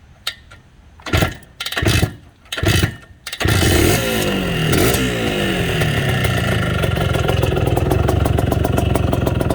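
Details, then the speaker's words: Bultaco Matador 350 classic two-stroke motorcycle, well tuned: a few kicks, then it fires and settles into a crisp even idle of roughly four pops a second; sounds beautiful and pulls nicely. "Sounds beautiful. It pulls really nice too."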